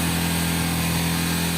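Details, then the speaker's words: Yamaha R15 high-revving single at about 5500 rpm with a fine metallic buzz like vibrating aluminium foil; rear footpeg rattling, stops when the foot is placed on it; fix involves the footpeg pin. "Então vamos ver se vocês identifica ó ó ó o barulho fez ó ó esse barulho"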